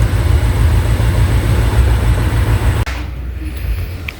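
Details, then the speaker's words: Peugeot 807 with check engine light; scanner shows cylinder 1 misfire fault. Uneven lumpy idle stumbling about three times a second; injector or spark plug suspected, most likely a dead injector. "Nah, ini ada kemungkinan ini antara dua kemungkinan antara injektor atau busi mati tapi kemungkinan yang terbesar sih injektornya mati."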